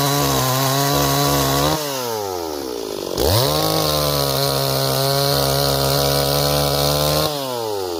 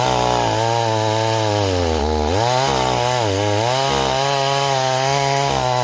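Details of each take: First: Repaired Stihl 026 chainsaw, returned by its owner as a no-start; crisp revs climb cleanly to a steady high scream and hold, then bog evenly into the cut: runs strong and healthy. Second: Stihl 026 chainsaw returned as a no-start, cutting a log in chilly weather: steady drone whose pitch sags and wobbles under load; carburettor running too rich, rakers possibly filed too low.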